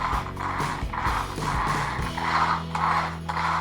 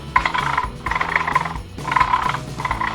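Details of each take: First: Traxxas Slash 4x4 after fitting a larger high-speed pinion, pushed in fully then letting the gears roll apart: light, loose whir with slight irregular ratcheting, no binding or grinding; pinion-to-spur mesh set correctly. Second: Traxxas Slash 4x4 motor after fitting a larger high-speed pinion: short bursts of gritty, strained buzzing whine with each motor pulse as pinion is pressed against the plastic spur gear; mesh far too tight, risks stripping the spur.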